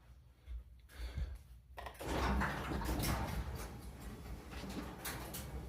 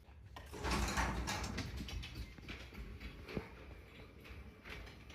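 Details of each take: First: Garage door after swapping metal rollers for nylon ones, door otherwise fairly quiet but two hard metallic clanks mid-travel; owner thinks the lift cable came unraveled and rode off its drum grooves (one groove per cable wrap). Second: Garage door after the metal rollers were replaced with nylon ones and the chain drive swapped for a belt drive: only a soft low rumble as the door travels, no metallic clatter or squeal; normal quiet operation.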